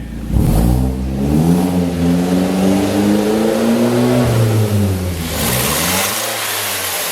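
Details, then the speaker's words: Car on the lift, with an apparently massive exhaust leak and a previously blown turbo: engine revs up and settles with a rough, uneven knock under the exhaust drone; a spun bearing is suspected, with a replacement motor ordered. "We're setting this customer's car on the lift right now, and this sounds like this car has a spun bearing on the motor."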